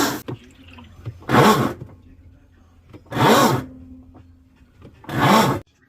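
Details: Whirlpool top-load washer agitating with harsh grinding bursts about every two seconds: a worn splutch under the washer that can't grip the gearcase drive.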